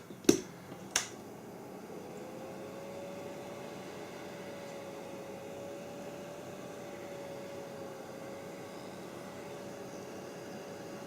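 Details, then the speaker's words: Creality CR-10S 3D printer fan, previously noisy, tested on power supply after wiggling and greasing: smooth even soft whir with steady pitch after a couple of clicks, no rattle or scrape; fan running normally. "this really sounds good actually no problem with that whatsoever"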